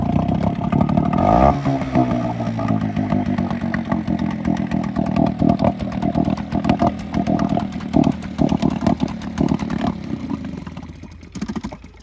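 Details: 6hp Hangkai two-stroke outboard with its lower-unit exhaust cap blown out. A loud, raw, crackling exhaust note through revving and settling, much harsher than normal, like a straight pipe, because the exhaust escapes above water.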